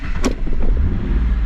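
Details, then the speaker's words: Mazda Bravo B4000 ute after idle control valve replacement, still cold: catches on the first crank and runs straight up to a steady 1,750 rpm fast idle with no stumble or misfire; clean cold start. "all that straight off off the key bang straight up to 1,750 again like it should then it should cuz it it's still cold but it should idle straight back down"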